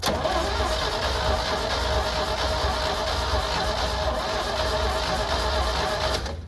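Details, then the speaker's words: AMPROAD 4000A jump starter connected to a Jeep whose battery is badly depleted: the starter churns fast and even, holding steady speed without dragging. Strong cranking. "that's cranking real good now"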